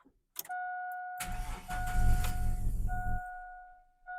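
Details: 2000 GMC 1500 parked 4 years after rodents chewed wiring, fuel pump just reinstalled, mass airflow breather off: door chime, then starter churns about two seconds without catching; cranks but won't start, cause not confirmed.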